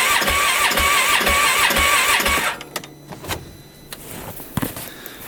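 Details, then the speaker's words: 2015 Polaris Ranger 570, freshly rebuilt engine with about an hour on it, died in snow and backfiring, new plug fitted: even starter chugging about three per second, no firing; cranks no start, owner suspects timing or sheared woodruff key. "yeah no go so that's not good I think what we're going to do is do a quick compression test on it"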